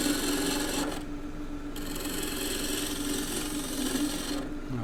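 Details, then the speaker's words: Wood lathe, green timber cut with a Continental roughing gouge, bevel riding then handle raised until shaving starts: steady rasping hiss over spinning hum, note shifting as the shaving lifts; normal gouge cut. "Bevel can ride on the wood, then you bring the tool up, raise the handle until there's a shaving coming off. You hear the note change and then move forward."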